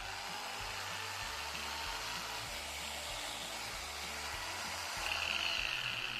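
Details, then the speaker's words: Dewalt angle grinder after repair, having made a grinding noise from a failed bearing that was replaced and carbon brushes refitted; now spins at a steady, smooth high whirr without rattle or wobble; normal running, no bearing noise. "अभी फिलहाल ये okay चल रहा है। मैं इसका एक trial ले लेता हूँ, फिर बताता हूँ आपको।"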